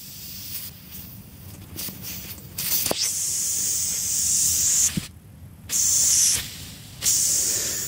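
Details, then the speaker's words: Tire valve core air leak on a 2000 Ford Ranger with a 3.0-liter engine: sharp, high hiss in roughly one-second bursts from the tire valve. The leaking valve core is removed and replaced with a core tool. "but this tire here we know what the problem is it is the valve core is leaking it's you can hear it"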